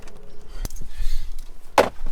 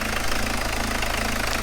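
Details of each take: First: Diesel car, cold start: it has long started rough as if the glow plugs were failing, and new plugs helped only slightly. It now starts only with easy start or brake cleaner, and once running it runs fine. Cranking stumbles, then it catches roughly to an uneven idle with lots of smoke. Initially suspected fuel pump. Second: Peugeot diesel with long-term hard starting, fuel pump suspected: after intercooler refitted and started on easy start, even diesel clatter at steady idle with no chuffing from the injector area; checking for leaks, looking all right.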